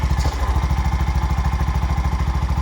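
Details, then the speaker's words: Bajaj BS6 motorcycle with 2 lakh km, after a timing-chain repair and a new clutch assembly. A steady, even low putter with regular firing pulses and no ticking or chain rattle; the engine now idles smoothly and quietly. "Smooth ಆಗೈತು ಗಾಡಿ ಇದು ತರ smooth ಯಾವುದೇ ರೀತಿ ಒಂದು pin ತಗೊಂಡಿಲ್ಲ ಇದರಲ್ಲಿ ಯಾಕೆ ತಗೊಂಡಿಲ್ಲ ಅಂದ್ರೆ ಜೆನೇನ್ ಕೆಲಸ ಮಾಡಿದೀನಿ ಸೌಂಡ್ ಸೌಂಡ್ ಲೆಸ್ ಗಾಡಿ ಆಗಿದೆ"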